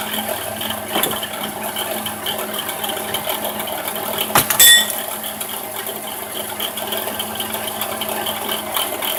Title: 06 GRAND CARAVAN SXT 3.8l bad alternator bearing sound